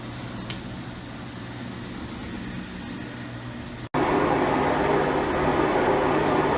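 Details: 5-year-old Maytag Bravos XL washer after replacing its drive shaft bearings, which had been noisy: smooth, steady spin hum with no rumble or grinding; the spin cycle sounds normal.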